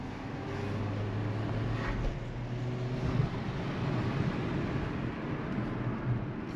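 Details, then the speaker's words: Hyundai HB20 on a road drive: smooth road rumble with no knocks or clunks over bumps. The shock absorbers and mounts had been suspected, but the car now rides silent. "eu já tava achando que era amortecedor e coxim que eles gostam né de dar problema nisso daí o bichinho ficou silencioso turma"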